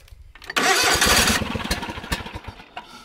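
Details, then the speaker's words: John Deere GT245 with 22 hp Kawasaki engine, after starter repair, ignition module part replacement and a smaller battery: starter grinds, the engine fires briefly on ether in the air cleaner, sputters unevenly and dies. Fails to start, catches briefly. "not quite enough something else got to be worked on"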